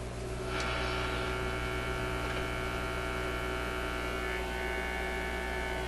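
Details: Zenith Y825 vacuum tube AM/FM radio on almost 120 V restricted power with outdoor antenna, previously working fine before six months on a shelf: steady loud mains buzz with stacked low tones from the speaker, hum source not yet found.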